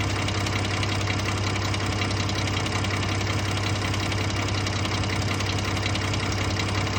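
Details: Ford F-150 3.5L EcoBoost at idle: loose, uneven ticking rattle about two a second over low hum, intermittent, not present at startup; owner suspects cam phaser rattle, source unconfirmed.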